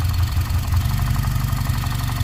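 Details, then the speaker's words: 2013 Cadillac ATS4 2.0L turbo that is hard to start and runs rough, at idle: a lope with a regular stumble and low chuffing pulses; it is misfiring with fuel trims reading good, and a knock fades when cylinder four is disabled. "our fuel trims look good you can actually hear it misfire"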